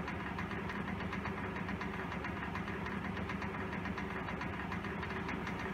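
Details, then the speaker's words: 1923 Emerson type 57568 16-inch six-blade 50-cycle ventilator exhaust fan at very low rpm: low quiet hum with faint uneven ticking rattle; rough-running motor racket and an out-of-balance blade; motor also doesn't always start. "does have a little bit of a motor racket that we need to take care of with it it's also got a blade that's out of balance and as you can see this is a very low rpm quiet piece of machine"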